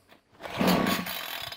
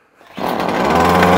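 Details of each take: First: Titan strimmer two-stroke, fresh fuel, primed, cold start on choke then half choke: surges up and falls back about once a second, never holding revs, dies off choke; carburetor fault suspected. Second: Titan strimmer, primed two-stroke that previously ran only on choke, after a carburetor swap: catches and settles into a steady high buzz with choke off, holding revs evenly; carburetion healthy.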